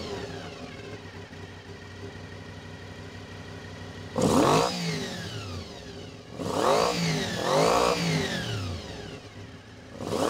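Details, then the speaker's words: Honda VFR 400 (NC24) with blocked carburettors, after strip, clean and rebuild, while balancing carbs to the lead carb: quiet idle swells and falls in surges as each carb is turned, pushing idle up so it must be turned down. "As you can hear, as I'm turning the carburetors, throttle's going up, so it's actually defining it all. So I have to keep turning the idle down."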